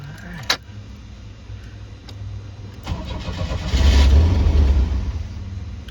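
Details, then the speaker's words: 1986 Pontiac Fiero that previously wouldn't idle, started after a new fuel filter, idle controller pintle work and a flapper welded open: the starter churns about three seconds, then the engine catches and flares. Long crank, owner suspects fuel pressure drained for the filter change. "Might not have any fuel pressure in it since I drained the pressure out to put that fuel filter in."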